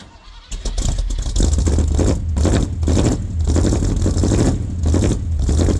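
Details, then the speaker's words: 1978 K25 with a freshly rebuilt engine (new valves, valve seals and springs), its first real cold start at about -8 degrees: a brief crank, then a deep, even V8 rumble with no knocks or misses. A healthy cold start. "beau ça va être son premier vrai cold staff il fait environ -8"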